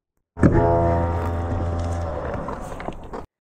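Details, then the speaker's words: BMW F2x/F3x/F8x, ISTA DSC brake bleed routine, first internal pump flush with the brake pedal cycled: loud motor drone with rapid irregular valve chatter for a few seconds; normal DSC valve cycling freeing trapped air bubbles. "it's just going to cycle the dsc valves it'll make a terrible noise you'll think you're breaking things but this is completely normal and what it's doing is it's just kind of internally freeing up the bubbles inside"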